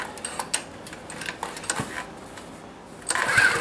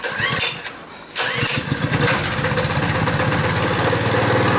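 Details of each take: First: Honda small engine cold start outdoors at about minus 16, gas on, choke on: uneven sputtering pops and hard rope pulls that never settle into running; owner unsure of fuel flow, suspects cold. Hard cold start, sputters. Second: Pull-start small engine cold-started after very hard pulls and several failed attempts: brief quiet pull, then it catches and settles into a steady, even putter with no misses, running normally after cold start.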